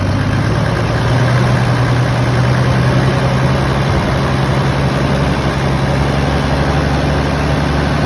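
Deep diesel idle with a heavy low throb and a slightly uneven shake; running rough at idle, cause not evident by ear.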